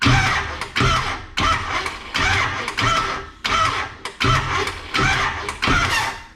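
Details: Camaro cranking with new battery while setting timing, number one cylinder found on compression: starter cranks in short even bursts, one to two a second, turning over freely; normal cranking.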